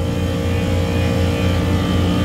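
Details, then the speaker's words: Loud, rough low drone with uneven pulsing throb from a beer walk-in cooler refrigeration compressor; abnormal noise, suspected internal bearing fault or other internal problem, compressor to be replaced. "but that noise that it's making is not normal there's a bearing issue or something's going on inside that compressor so we are going to get it replaced today"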